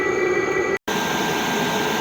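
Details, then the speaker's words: Chinese 8 kW diesel air heater running at full capacity, heard outside at the exhaust: steady roaring combustion rush with a thin, constant high whistle; owner suspects exhaust flowing through the pipe, may fit the muffler to cure it. Cause unconfirmed. "It has got a bit of a whistle to it. I may have to hook up that muffler. Maybe that'll get rid of that whistling noise. It's probably just the exhaust traveling through the pipe the way that it does."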